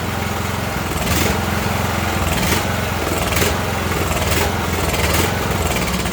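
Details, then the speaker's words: Ariens riding mower, 20 hp Briggs & Stratton Intek, customer complaint surges and dies: engine hunts up and down about every 1.5 seconds, never holding speed; spark stays present, brake cleaner in air cleaner smooths it, so fuel starvation. "so we had spark all the way to the end i shot that brake cleaner into the air cleaner there and you heard it was straighten it back up so we know there's a fuel problem"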